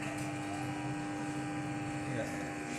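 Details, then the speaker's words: Maspion V163S electric fan, owner's complaint that it won't spin, on speed 1: constant electrical hum with no blade whir; the motor is energised but the shaft is stiff and won't turn. Suspected cause is a wrongly fitted bushing. "dia sama sekali tidak berputar teman-teman cuman di sini ada suara berdengung ya jika teman-teman dengar"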